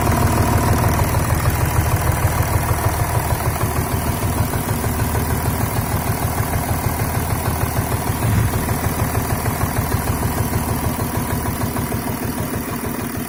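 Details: VW Touareg 3.0 TDI (CASA) diesel that lost power on the highway with vibration at 2000 rpm, fine at 1500: uneven idle with a steady knock about three times a second and body vibration; source undetermined.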